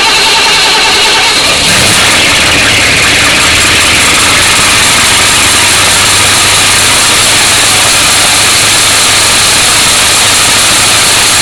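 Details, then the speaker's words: 1966 Mustang 289 V8 starting and idling with a loud, harsh high-pitched squeal that persisted after tightening and soaping the fan belt; the alternator squeals under electrical load. "what it was was the alternator squeaking when it from the load"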